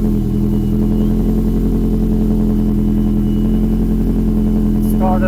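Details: Saab 9-5 Aero converted to RWD, first startup of a freshly built engine with a newly installed external oil thermostat; catches and settles into a smooth, even idle with a low hum, no knocks or ticks. Started at 6 bar oil pressure; normal.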